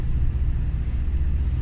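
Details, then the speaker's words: Engine, cold and warming up, running super rich after loose spark plugs 3, 5 and 6 were fixed, likely curing a misfire: a deep, constant low rumble with no dropouts or stumbles; the constant cycle is warm-up, not a misfire. Normal cold idle. "we're comparing it to its natural cycle and it's constant so that's not a misfire that's just the engine warming up"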